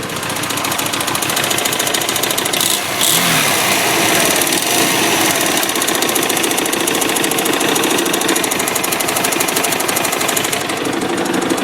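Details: 2007 Hyosung GT250R idling after a highway ride: fast, uneven top-end clicking/clatter, about three ticks a second, present only at idle and low rpm, fading above about 4000 rpm; owner suspects valve adjustment or cam chain tension, unconfirmed.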